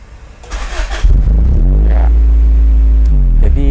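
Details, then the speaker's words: Cold fuel-injected engine with undersized 7.5A and 10A fuses causing low supply voltage; cold idle should be 1500 rpm dropping to 1200. Short crank, catches, revs up and sags unevenly; hesitant, poor start instead of easy restart. "itu nggak enak banget ya jadi nyalanya itu nggak enak ya gitu ya jadi nggak bisa Ceng itu nggak bisa ya nggak bisa minta seharusnya injeksi itu bisa dua kali start ya"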